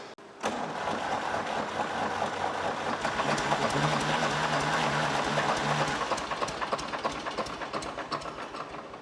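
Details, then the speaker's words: 1964 Lamborghini R2 diesel tractor no-start after loosening injector lines to bleed fuel; steady rhythmic cranking about three turns a second without firing, may need bleeding again: cranking no-start, air in fuel system. "so this is progress it wasn't even kicking over before so we're at least getting it to here okay now I may have to bleed this one more time"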